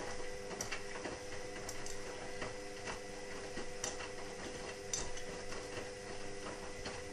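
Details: Indesit WIXL143 washing machine: sharp irregular clicks about one a second over a faint electrical hum, no drum motion. It clicks for 2-5 seconds, then nothing, and doesn't finish its cycle. Stain removal, Easy iron and door lock lights flash. Fault unknown.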